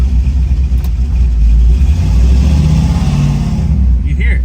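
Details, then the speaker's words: Buick Grand National, recently tuned, after a part was refitted: loud, lumpy rumble that stumbles and chops unevenly as it revs, like running on four cylinders and skipping. Misfire of unconfirmed cause; a reset is suspected as needed. "oh you can hear it's like it's running on four cylinders it's like it's [ __ ] skipping"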